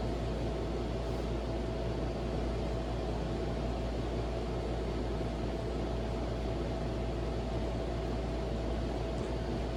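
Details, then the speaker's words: Beat-up Silkon SCF-UCC-52 ceiling fan on low speed, bearings still good: even low hum with faint steady buzz; something vibrating, owner suspects inside switch housing; vibration noise. "it still has good bearings but there's something that's vibrating in the fan somewhere i think inside of the switch housing"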